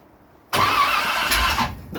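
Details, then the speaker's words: 1967 Corvette V8 after rebuild: engine abruptly fires and runs roughly about a second before dropping away, catching after the distributor rotor was turned 180 degrees; new lifters still pumping up with oil pressure. "There we go. Now we're sounding a little bit better."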